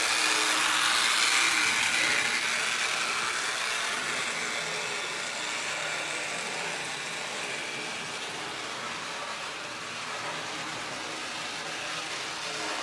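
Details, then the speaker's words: Garage-find Lionel #60 trolley, before motor service, power nearly full: uneven growly buzz with crackling arcing like lightning inside the car; rough running with motor arcing. "like lightning going off inside the car well we're gonna have to see if we can fix that kind of growly and the power is up almost all the way don't seem to matter"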